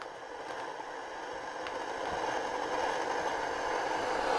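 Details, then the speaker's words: Grundig radio: on FM only a rushing hiss that slowly grows louder, no station or voice coming through; FM not receiving anything. "so yeah Andy the um R it doesn't work on FM it sounds like"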